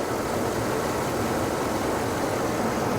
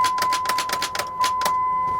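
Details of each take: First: Used car at an insurance auction with the alternator charging: steady, even hum with no knocks, ticks or whine, level throughout; a quiet, healthy idle. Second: Truck with 144,000 miles, on a jump start: a quick even run of sharp starter clicks, about five a second, but the engine never cranks. It is a suspected non-runner and the cause is not confirmed.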